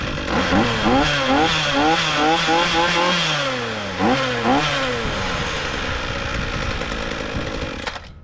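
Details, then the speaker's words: Ryobi trimmer bought non-running with seized gearbox, after engine repair (gear head still unfixed): small two-stroke starts easily, buzzes crisply with throttle blips, settles to a steady run before shutdown; normal running. "all right so that sounds pretty good uh starts starts easy and seems to be running good"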